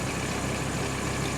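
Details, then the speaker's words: Audi R8 V10 after repair and test drive, heard from outside: smooth steady idle with no knock or ticking, noise currently absent; earlier noise suspected from No. 1 main bearing damage and crankshaft play, possibly returning and needing overhaul. "현재 안 나고 있습니다."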